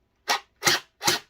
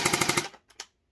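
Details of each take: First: SB400 Splatrball gel blaster firing: separate sharp shots about two a second, then quicker uneven bursts; it works but sounds off, owner suspects a motor problem rather than the battery; irregular firing. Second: Crisp rapid burst of about five even shots from a gray Splatrball SB400 gel blaster after a fix, then silence. The blaster cycles properly.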